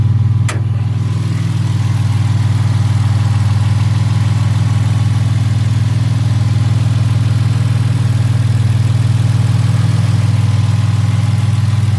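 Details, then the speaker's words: 1975 Toyota Crown MS85 with a swapped 2JZ engine, first start after fuel system and gas pedal work: settles into a smooth, even idle with a steady low hum, no knocks or misses; good oil pressure, no overheating. "guys you heard it she purrs like a kitten she runs good she sounds good the oil pressure is good"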